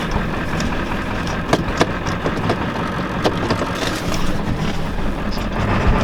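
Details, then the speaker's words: Ford 7.3L diesel truck, worn and shaking, smoking and smelling of burning oil: uneven, lumpy idle with irregular stumbles and sharp pops, missing badly. Cause unconfirmed; owner wonders about a runaway turbo. "Oh yeah, she's gonna die at me. She's missing really bad. Not running too good. She's pretty shot."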